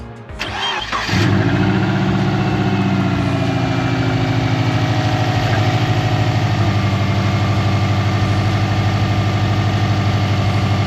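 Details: 2002 bugeye Subaru WRX, first start after fitting a Fluidampr crank damper in place of the stock crank pulley: short crank, catches at once and settles into a smooth, steady idle; no crank wobble, no belt squeal; healthy.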